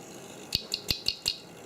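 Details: Creality CR-10S 3D printer cooling fan, bearings just oiled with sewing machine oil and powered directly by wires with the printer off: five sharp, tinny rattles about six a second over a faint hum. The fan still rattles; the fan seems cheap and may be replaced.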